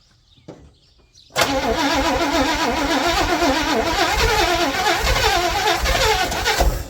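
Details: 1961 Chevy Impala four-door, sat for 20 years, running off a boat fuel tank: brief crank, fires at once and settles into a steady, even idle with no stumbling; it runs, but needs an alternator or generator.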